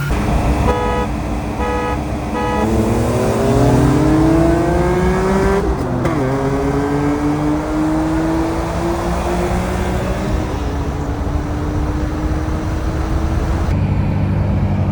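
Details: BMW E46 M3 S54 first start after a VANOS rebuild (Beisan rebuilt VANOS and exhaust sprocket, new oil pump disc, exhaust upper chain guide). Cranks, catches, revs climb and drop back, then settles into a steady idle with no rattle: job running fine.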